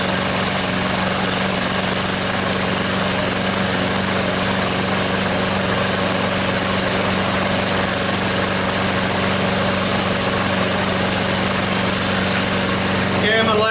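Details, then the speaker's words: Troy-Bilt mower with a "Frankenstein" engine built from another engine's parts, rebuilt and not yet broken in: it starts after six primer pumps and a few pulls, then holds a steady, even speed throughout, no misses or surging; running fine. "so it's running I'm not gonna jinx myself but I think I've got it done"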